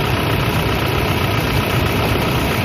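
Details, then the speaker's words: Toyota Innova 2KD diesel at idle during alternator charging test: steady low even chug, no knocks or whining; cranking above 11 V, charging test OK at 13.81 V. Normal idle. "The car engine is on. Let's see!!! Cranking result is normal, cranking voltage is 11 volts more."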